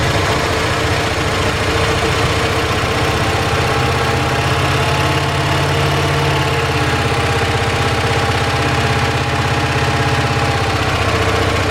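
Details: 1978 Dodge D150 V8 after fixing top-end lifter tick following cam and head swap (new lifters): smooth, even idle with steady low rumble, no lifter tick, only a tiny exhaust tick suspected; sounds much better, normal idle.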